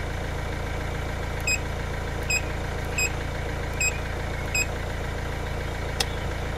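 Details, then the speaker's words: 2012 Hyundai i20 diesel with P1186 low rail pressure, after pressure control valve test passed; steady diesel clatter idling around 800–900 rpm, no hunting or dying out (previously died when accelerating); sounds okay, normal idle. "so you took a bit longer the start 800 rpm is thinking about one end you are PN 900 rpm I do sound okay"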